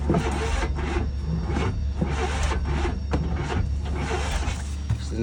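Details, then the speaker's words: 1995 GMC Jimmy/Chevy S10 Blazer 4.3 Vortec V6 cranking after distributor reset 180° out: steady cranking, about two heavy beats a second, trying but never catching; timing just barely off suspected, not confirmed. Cranks, won't start. "all right if it don't work this time I'm giving up for the night we'll do that in the daytime"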